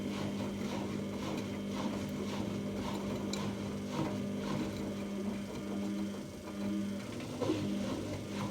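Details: 14-year-old Samsung washing machine spinning at about 1,000 rpm with a badly unbalanced load: steady mid-pitched squeal through the spin over the motor hum; owner suspects bearings, unconfirmed, still to be tested empty.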